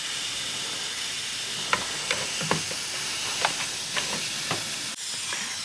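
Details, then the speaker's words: Mitsubishi Evo with hunting idle, homemade boost leak tester on the turbo, sealed system through intercooler to cold-side piping: steady sharp hiss with light taps; leak found with bubbles, air also heard from the blow-off valve. "we have found a leak down there so that's one you see a lot of bubbles coming that's what's interesting is I can hear air coming from the Block valve but I can't see anything see any bubbles"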